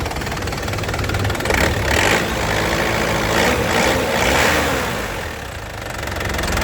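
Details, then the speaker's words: 2010 Isuzu Panther LS Turbo diesel idling after a first-crank start, with a steady, crisp, even beat and no ticking, knocking or misfire; a healthy, stable engine. "ini kalau didengar mesinnya Lur suaranya renyah ya kita dapat dan tidak ada suara aneh-aneh seperti suara tek tek tek tekteek bubuk-gbuk enggak ada ya tandanya mesinnya ini sehat"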